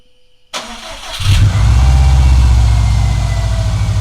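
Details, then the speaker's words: 2013 Subaru STI first start after a no-spark no-start was fixed by replacing the crankshaft sprocket that had broken teeth: a brief crank, then it catches cleanly and settles into a steady deep idle. "that is the happy sound"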